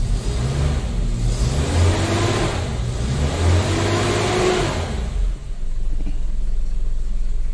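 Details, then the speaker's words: Suzuki Katana idling after the worn engine mounting was replaced: a steady, low engine note with smooth revs and no knocks or rattles, and the heavy vibration into the cabin is gone; normal engine running. "kalau kemarin itu getarnya banget ya tak banget loh yang kemarin kalau yang ini enggak"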